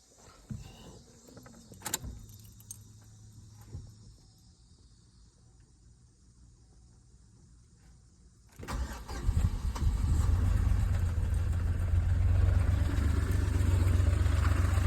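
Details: 2007 Chevrolet Impala: quiet clicks at first, then a long steady low churning crank of about four beats a second that never settles into a running idle; crank no start.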